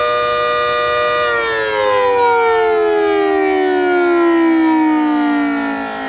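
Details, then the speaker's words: Federal Signal Model 2/2T siren test: strong steady wail that glides smoothly lower as the rotor winds down; owner says it sounds better now and not like it's dying. Normal siren operation. "So Model 2 sounds like it's doing better now. It doesn't sound like it's dying, but there's that."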